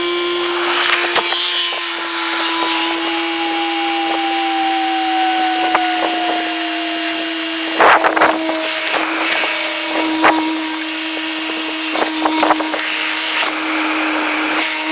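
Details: Steady electric drone with a slowly falling whine runs about fifteen seconds under tool clanks, then stops: Audi allroad air suspension compressor raising the car normally after new air spring, control arms, bushes, tie rod end and CV joint fitted.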